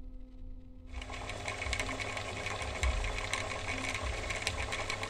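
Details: Chaika 144A sewing machine after repair (motor remounted on plate, rotor binding fixed, guard crack reinforced), first run after sanding with 400 grit: starts after a second, brisk even clatter about four stitches a second, smooth, no grinding or catching; normal running.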